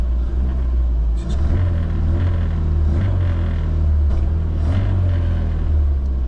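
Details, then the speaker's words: Classic Mini Cooper RSP, mixture set with jet level with the bridge, ignition timing unknown, before reaching operating temperature: low idle sags and wavers, stumbling toward stalling as the choke is pushed in. "soon splits and starts to stall as soon as I start putting that choke in"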